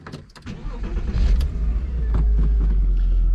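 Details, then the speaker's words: First drive of a salvage-rebuilt Porsche Boxster, recorded in the cabin with the engine just behind the seats. It catches and settles into a deep, steady low rumble with no knocks or ticks; it sounds healthy and even. "I love that sound because the engine is literally just here"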